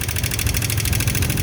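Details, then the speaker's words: Old Honda Vario 125 LED scooter, very rough rapid metallic clattering from the cylinder head over low idle; head teardown found the inlet rocker arm roller seized, not turning, leaving excessive valve clearance. "Oke, seperti ini untuk suaranya di area head ya. Ini sepertinya di area headnya ada yang bermasalah. Kemungkinan ini di temlar ya."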